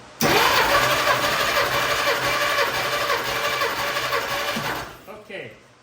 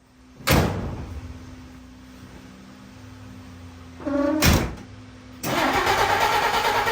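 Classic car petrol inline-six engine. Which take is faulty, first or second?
second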